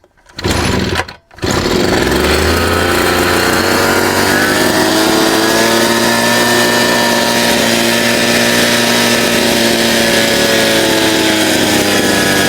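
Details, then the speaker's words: Chinese 43 cc two-stroke brush cutter that started but wouldn't rev and stalled (dusty air filter housing), after disassembly: starts on the pull and holds a steady high buzzing run without stumbling; runs properly. "It works."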